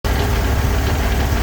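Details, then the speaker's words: Chevrolet Corvair flat-six: loud idle with a low rattling rumble under the exhaust beat, a classic Corvair flywheel noise that mostly goes away when the clutch is pushed in. "And so you can hear the noise. Well, that's a classic Corvair flywheel noise, and I'm going to show you how you can tell that."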